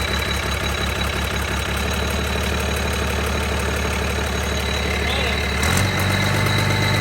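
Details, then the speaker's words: Cummins diesel in a burnout truck build, first run after assembly: steady idle with light, fast metallic chatter over the firing that changes as revs shift; owner thinks the gears are chiming. "we know it runs that's plus i think sounds like the freaking gears are chiming"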